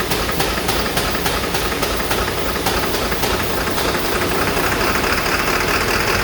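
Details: Ford 7.3 Powerstroke diesel starting with ether: harsh, uneven clatter with irregular sharp knocks three or four a second; rough running, injector 4 later found with a damaged tip.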